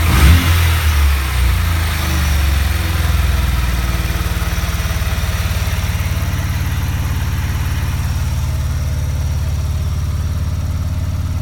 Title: RX7 misfire